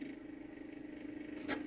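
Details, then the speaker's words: Magnavox ZV427MG9A on a variac at about 125 V: steady fairly high hum with a brief rush partway; cooling fan noisy on its own, not from anything touching it. "he is correct the fan is noisy and no it's not because something's touching the fan"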